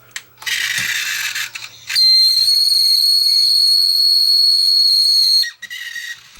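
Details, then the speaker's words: Broken DVD recorder, laser attempting to come on: loud steady high-pitched whistle for about three seconds from the disc mechanism; drive belt found missing, likely more wrong than the belt, cause unclear. "Oh, that's not a good sound. Uh, you know what? Um, there's parts missing. Or is it just a belt?"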